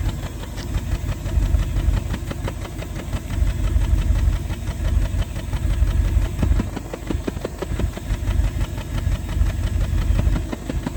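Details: 1988 Bentley Eight V8 idling, heard at the tailpipe with a hand near it: uneven puffs and sharp pops indicating a misfire in one or more cylinders at idle.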